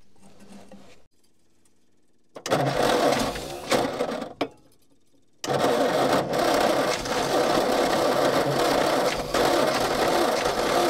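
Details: Old petrol Bedford tip truck (owner guesses early 60s–mid 70s), sat 10+ years rusting, cranking again after an extra earth was clamped onto the starter braid. It spins no quicker: sluggish, uneven churning in bursts, never fires. Owner suspects a lazy, probably Lucas, starter or bad earths.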